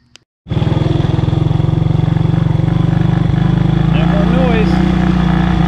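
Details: 1985 Honda ATC 200S, 165 original miles, after the tapping investigation: steady, even single-cylinder thump at idle with no knocks or rattles, pretty quiet; normal running.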